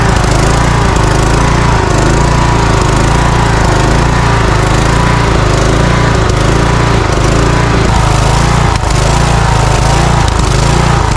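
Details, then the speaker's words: Cub Cadet riding mower with Kohler engine: loud engine speed rising and falling about once a second; surging from lean fuel mixture, smoothed when choke partly closed, restriction suspected in the carburetor. "okay so it's not getting enough fuel it's surging when I you may have seen me stick my finger in the carburetor what I was doing is shutting the choke just a little bit and soon as I restricted the air flow a little bit it smoothed out"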